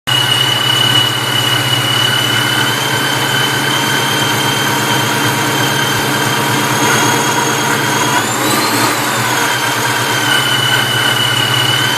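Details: Vortech V-1 T-trim supercharger: steady high whine climbing and falling on a brief blip just off idle, a strange hum there while idle and higher rpm sound normal; owner suspects bad bearings, not confirmed.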